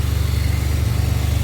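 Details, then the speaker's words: 2007 Pontiac Grand Prix GT with crank-no-start from a broken ground eyelet, after ground reattached to a stud: deep, even idle with a steady low throb and no misses or knocks; normal idle after fix. "I've never had that issue but it's all good she's running"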